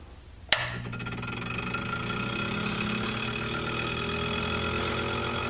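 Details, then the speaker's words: 1980 Cinematronics-clone arcade cabinet, first power-up after a previous magic-smoke failure, with the monitor unplugged: a sharp switch-on thump, then a loud, steady fan whoosh and even hum. No smoke, and the board LED blinked once; powers up normally. "okay no smoke loud fan and it blinked once so let's go and see if we can coin up the game and play it blind"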